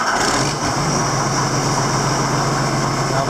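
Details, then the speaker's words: Tractor with Westendorf loader after replacing the broken multi-function/leveling valve, lifting the loader: steady, even idle drone with no strain or chatter; hydraulics working a lot better. "I can tell you right now that's a lot better it"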